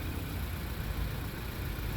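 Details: 2015 Chevrolet Onix 1.4 LTZ that came in chirping and weak, found out of timing with a faulty camshaft; after camshaft replacement, decarbonization and timing belt reset, checked by oscilloscope: steady, even low rumble at idle with no ticking or knocking; healthy.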